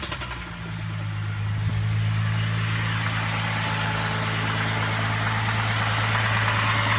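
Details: VZ engine at steady idle with an even tapping of roughly four knocks a second; internal knock, owner suspects timing chain or bottom end, unconfirmed.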